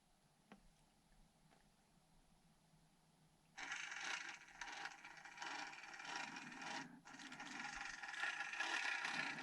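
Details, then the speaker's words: Micro crawler RC truck with a modified metal-part body, an 050 motor and the ESX24 Crawler ESC, crawling slowly: a soft gear whir with no electronic whine from the speed controller, giving fine low-speed control. "No whining at all, and super fine resolution."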